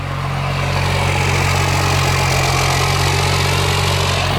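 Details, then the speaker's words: 12-valve Cummins diesel swapped into a Dodge B3500 Ram van, first start: steady, even idle with deep low rumble and smooth pulse, no knocks or misses; healthy, though not charging. "Pretty cool to hear a noise like that come out of a big, ugly van."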